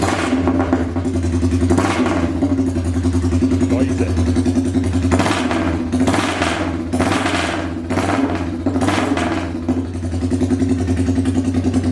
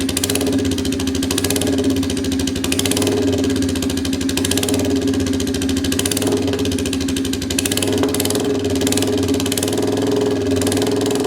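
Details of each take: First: Royal Enfield Bullet 350cc single with freshly made custom exhaust, open megaphone vs baffled silencer, started indoors: loud even thump at idle and clean throttle blips climbing and falling freely; healthy engine. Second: Royal Enfield 350cc Bullet single with freshly made custom exhaust fitted with baffle, not fired up in a while, in neutral; fast even idle thump with sharp crackles popping through the exhaust; owner suspects over-fueling or missing cat; exhaust crackle.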